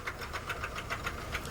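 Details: Blown Honda CR-V engine running with a jump pack attached: heavy, sharp knocking at idle, about seven hard raps a second, from a spun rod bearing (rod knock).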